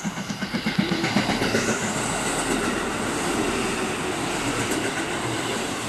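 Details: KiHa 85 series limited express Hida bound for Nagoya passing Kiyosu platform 1: rapid machine-gun pounding, about four blows a second, fading into rail rumble; wheel flat.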